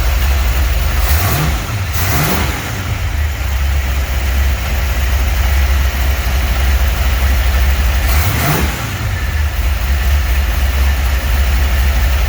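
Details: 1949 Chevy 3100 truck with newly installed V8 motor, first run in garage: steady deep idle with two quick throttle blips rising and falling cleanly; smooth, even, sounds good.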